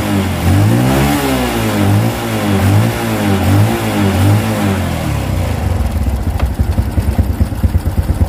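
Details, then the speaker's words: Honda Revo Absolute single-cylinder motorcycle after replacing cam timing chain: revs rise and fall cleanly, settles to even idle with no chain rattle; healthy. Normal revving. "Saya jamin ini sudah halus karena gantian sudah diganti ya penyakitnya sudah ketemu dan sudah diganti langsung saja kita hidupkan"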